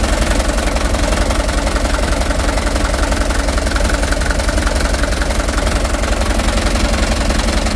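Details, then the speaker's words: Cold Mitsubishi Canter HDX diesel at idle after Bosch pump calibration and plunger replacement: it starts easily but idles with a heavy, uneven low thump about three times a second and shakes, and it is said to be worse when hot. "mesin Masih dingin teman-teman ya belum panas ini jadi guncangan mesin sudah kelihatan untuk awal hidupnya"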